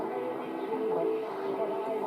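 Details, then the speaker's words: 1960 GEC BC505 transistor radio after long-wave coil aligned on the ferrite rod and fixed with beeswax: stations come through clearly on long wave with steady audio and no crackle; long wave now works. "we now get long wave, which we didn't have at the beginning. That's RTE. And radio 4 there."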